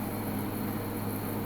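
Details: Midea U window AC 8000 BTU at 108°F outdoors, compressor drawing over 500 W: steady, fairly loud low hum with fan rush, louder than in cooler weather, no knocking; working hard but normal.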